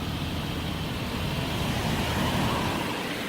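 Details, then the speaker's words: 2003 Toyota 4Runner V8 Sport Edition 4x4 with maintenance records. Steady, even, quiet low rumble with no knocks, ticks or misses. Smooth, healthy normal idle. "once you started up for me sounds good sounds smooth"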